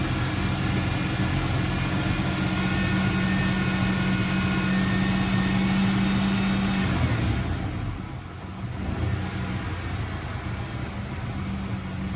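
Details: 1995 Ford Ranger 4.0 manual RWD after air filter, fuel filter and Seafoam service: idle hunts and stumbles at about four beats a second, dips and recovers; rough idle, owner suspects the idle valve, cleaning didn't help, and it is worse on hot restart.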